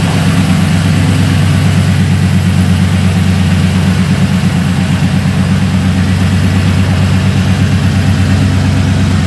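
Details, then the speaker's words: LS V8 after installing LS7 roller lifters, Yella Terra roller rockers and LS9 head gaskets: loud deep idle with light rapid ticking riding over it from new lifters not yet fully pumped up; hoped to smooth out. "th oil but likely they didn't get pumped completely so there will be noise with those lifters we're hoping that the noise will quiet down after a little while and the engine will smooth out"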